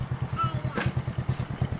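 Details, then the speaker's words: Honda Supra 125 single-cylinder engine after reboring (oversize 75) with original piston, previously very rough with a badly damaged bore; warmed up half an hour and ridden, now a steady, even low putter at idle with no knocks or misses, running smooth. "ternyata mesinnya masih jos fenomena ini masih masih halus ya"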